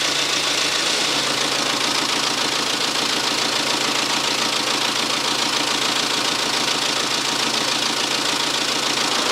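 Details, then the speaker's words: BMW with a refurbished engine and fresh piston rings, on its initial startup: uneven, slightly lumpy idle with a loose ticking about twice a second; owner suspects it is burning off oil and relearning adaptations. "I said that this thing was running a little bit rough on initial startup I think that was probably just burning oil and whatever else off and letting the adaptations kind of do their thing"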